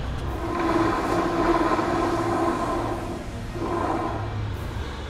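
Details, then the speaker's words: Rear final drive of a 2015 Honda PCX scooter after repair of the rear final-drive bearings and clutch, mic placed close by; the rear wheel spins with a soft, even rolling hum and no grinding or clicking. Normal, healthy final drive. "Ah pois é minha gente eu mesmo de longe o microfone consegue pegar a minha voz nós aqui ó nenhum barulho bacana não é"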